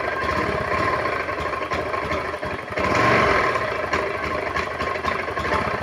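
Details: Honda automatic scooter that is hard to start and idles unevenly, dipping then surging with a ragged beat; owner attributes the stumbling to the EOT sensor: engine stumbling at idle.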